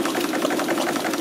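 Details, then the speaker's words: Bolton 9 triple expansion model steam engine on a homemade vertical boiler, rings recently changed; rapid chuffing with faintly lopsided exhaust spacing; runs slightly unevenly, owner suspects altered steam timing on the middle cylinder. "And as you can hear, the triple's going okay, although I did some work on it recently, changing the rings, and I think I must have altered the steam timing on the middle cylinder, because it's a little bit uneven,"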